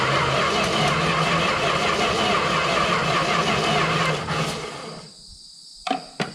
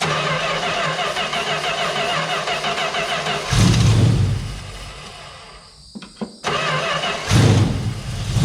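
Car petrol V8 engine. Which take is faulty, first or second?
first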